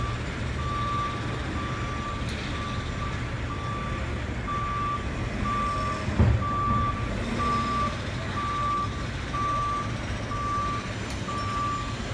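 A steady high beep repeats about once a second over low diesel rumble and street noise: a truck's reversing alarm working normally.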